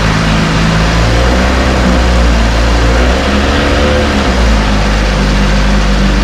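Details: 1968 Evinrude Fastwin two-stroke outboard, first run, just put in a test tank with fuel, no work done: even steady idle burble, no misses, knocks or rattles; idling cleanly, great heartbeat.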